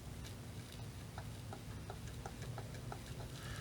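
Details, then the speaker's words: Steering gear box (MasterPro, from a 2005 Ford Excursion, also fits F250/F350) off the vehicle, piston rocked by hand: light hollow clicks about three a second; internal play from bearings too small or grooves too big. "getting a lot of play inside of here that means that either the bearings in here are too small or the grooves right here are too big either way i'm getting play inside this piston and that's not good"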